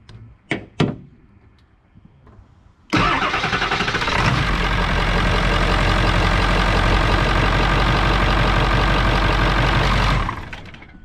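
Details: 2001 Ford F350 7.3 L Powerstroke diesel, 180,000 miles, started after fuel filter change and key cycling: couple of clicks, brief crank, catches at once into steady, even idle with no misses; oil pressure good.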